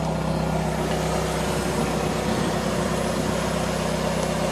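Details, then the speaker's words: Fiat 500 started after DIY exhaust replacement, joints tightened: a steady, even idle with a smooth low drone and no puffing, ticking or rattling; exhaust sealed, no leaks. "There we go, started up, no leaks, sounds"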